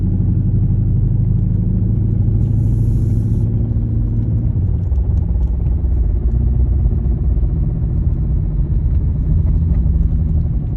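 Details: 2015 Dodge Charger R/T: deep heavy engine rumble with a loose vibrating knock underneath, about three beats a second; owner does not know the cause.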